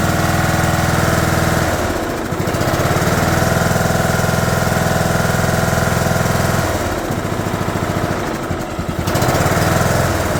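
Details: 2011 John Deere D110 mower, engine reassembled from boxed parts, restarted off choke, throttle cable not hooked up, expected to smoke: single-cylinder pops along at steady even beat with brief throttle dips, fires cleanly; runs good.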